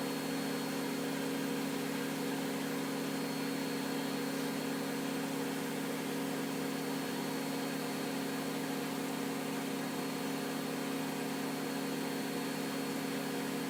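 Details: Miele W562 washing machine in its fast final spin at 1300 rpm during an overdosed-detergent extreme suds test: steady high whir with constant hum, no knocks, thumps or scraping; normal high-speed spin.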